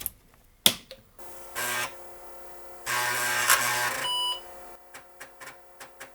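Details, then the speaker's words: IBM XT 5160 floppy drive with known-good controller from a 5150 replacing bad controller: buzzy head seeks in short bursts, then evenly spaced stepping clicks as it reads cleanly and boots. "Oh, that sounds much better. Awesome, it boots."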